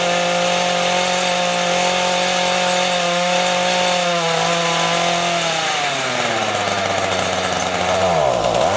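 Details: Two-stroke rototiller, carburetor just cleaned after winter storage: the high buzz sags and nearly stalls when the throttle opens; the low-speed mixture screw is too lean and needs opening slightly.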